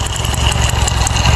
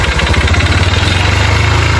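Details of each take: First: 2008 Honda Titan 150 carbureted, just reassembled after engine work, first start: small single-cylinder idling with a steady, even beat and only a faint light tick on top; sounds healthy. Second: Motorcycle brought in for engine noise, also smoking and throwing oil: rapid hollow knocking on every firing stroke at idle, loud and persistent; mechanic suspected the rod and hopes it is only the cylinder kit; piston slap.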